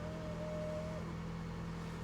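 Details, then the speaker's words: Ford Bronco at an IAA auction walkaround, idling stationary at 0 mph with the driver's door ajar: a very soft, even hum and low, steady rumble with no knocks or ticks, essentially nothing to hear. Normal idle. "listen to this there's really nothing to listen to I like that"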